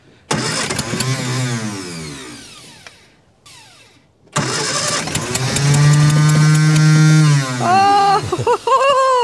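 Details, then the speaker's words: Barn-find 1954 Austin A30 stored since 1971, second start attempt: slow uneven cranking briefly catching with ragged rising and falling revs, running for about a second and a half before being shut off. "sounded like GG bang Banger it did"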